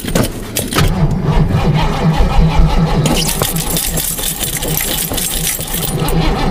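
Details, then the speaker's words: Ford Mustang at −14 degrees: uneven, labouring starter cranking about two and a half turns a second that never catches; cranks but won't start. "holy crap yeah definitely call it out wow this is crazy yeah she's done in the water too"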